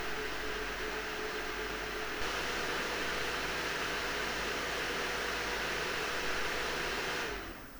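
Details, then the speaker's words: PowerColor Radeon RX 7900 GRE Fighter graphics card fans: steady, even rush of air with a faint constant metallic tone from the cooling fan and no rattle or ticking; normal fan noise. "*El sonido metálico que escuchas es el sonido generado por el ventilador de refrigeración."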